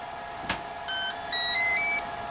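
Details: Durafly Komet foam RC plane on 4S battery, throttle cutoff switch present; soft click then a rising run of clean electronic ESC tones and four beeps on plug-in; controls work but motor never arms or responds to throttle.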